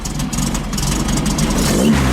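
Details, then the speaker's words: 1915cc VW Manx buggy engine with a 009 distributor and timing issues, just started: revving with a faint high squeal from the slipping belt, and a stumble on throttle. "Well, it fired up pretty easy. Belt slipping."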